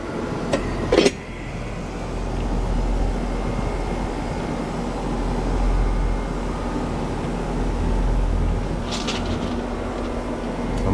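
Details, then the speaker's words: 3-ton Lennox AC condenser, about 85°F outside, recharging toward factory charge: after startup a steady even hum with low drone, no knocking or rattling; running smoothly and normally. "So I'm gonna go ahead and turn it on. Hopefully this thing will quiet down. All right, sound good."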